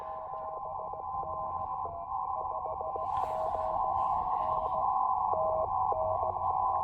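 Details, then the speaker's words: Elecraft K2 receiver during a portable outdoor activation: steady hum near one kilohertz with pulsing tones stepping in and out; outside interference, operator suspects nearby hospital, source unconfirmed. "Oh, I don't like that noise. You hear that moving in? That is, see, there's a hospital over here next to this. Oh, this noise is really annoying."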